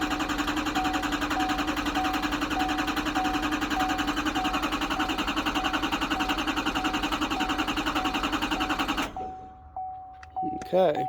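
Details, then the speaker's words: C4500 truck on its fourth start attempt after a 30-second wait: even starter cranking at almost three beats a second for nine seconds, never catching; it cranks but won't start. "and that's the fourth time we've tried that."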